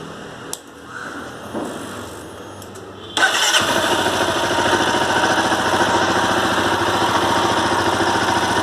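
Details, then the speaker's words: Honda CBR 250R with a rhythmic knock for the past month; service center blames the crankshaft and wants the whole engine replaced, owner doubts it. Cranks, catches, then idles with a steady knock about three to four a second; cause not confirmed. "Hi guys, I'm facing this problem in my severe terrific engine sound. So can you tell me what is the reason of this sound?"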